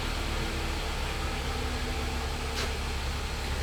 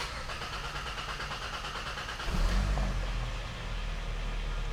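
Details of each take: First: 2012 Hyundai Sonata 2.4 GDI with long crank, low power, misfire, after fuel-system fix; fuel pressure about 730 PSI matching set point. Smooth, steady idle under soft fan hiss, no misses. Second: 2012 Hyundai Sonata 2.4L GDI with low power, misfire and check engine light: starter churns steadily about 3 seconds before catching, repeatable every start; fuel-system fault; long crank before start.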